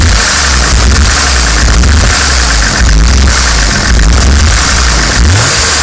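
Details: 1990 BMW 525i engine running unevenly with irregular stumble and shaky low beat as revs rise and fall; misfire and rough running.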